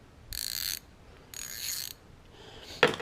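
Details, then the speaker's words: 1/2-inch ratchet just lubed with Archoil AR8100 grease: two short bursts of fine, even, crisp clicks, much quieter and smoother than before, now sounding like the 1/4-inch; normal ratchet clicking. "And this is the 1/2 inch that I just lubed up. So, yeah, much quieter. It's a lot smoother now."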